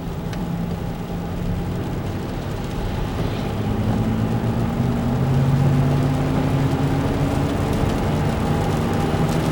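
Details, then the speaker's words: Car front hub noise: a low droning hum that rises in pitch with speed, heard over road rumble. The passenger front hub was found grinding with flat spots when turned, and both front hubs were replaced. "So I got a noise in the front of the car. I'm pretty sure it's a hub."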